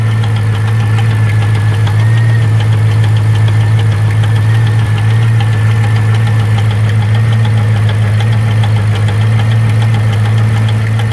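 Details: C5 Corvette Z06 V8 at a steady idle with a faint light ticking or knocking in groups of three over the rumble. Source not pinned down; owner suspects a valve.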